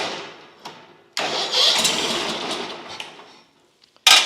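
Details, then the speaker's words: Lumbermate 2000 sawmill with a Briggs & Stratton Vanguard V-twin, cranking without trying to start: starter drags the engine over about two seconds, cuts out, cranks again; seems to crank a little hard, cause unconfirmed, valve clearance to be checked. "Uh, I noticed it was kind of cranking a little hard, maybe."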